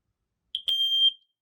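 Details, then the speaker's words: Older First Alert smoke alarm, same as SA76RC, rapid pulsing type: a short chirp, then a shrill high beep of about half a second, apparently triggered after a delay by the loose cover pressing the test button. "all right that was a delay all right wants to be finicky now I think the cover is leaning on a test button"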